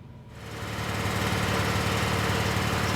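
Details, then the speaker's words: 2011 Peugeot 308 CC that feels like it has a miss after five minutes of running, though no codes returned. Started with the connector believed to be cylinder one's coil unplugged, to see which codes set. Shaky idle with a regular stumble as one cylinder drops out. "so what i'll do is disconnect that coil and see what codes generated"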